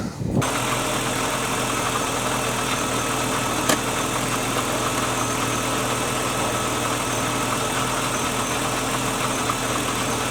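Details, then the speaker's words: BMW E36 after EWS immobilizer delete, ECU flash and tightening a loose ground cable: smooth, even idle holding constant pitch with no stumbling or dropouts; engine running healthy. "You just delete it EWS and it runs. So, well, car's not dead."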